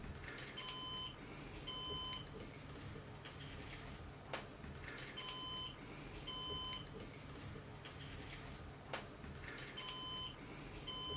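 Pairs of short, sharp high beeps repeat about every four to five seconds over a faint room hum: the NAS is sounding a drive warning. Cause suspected, not confirmed.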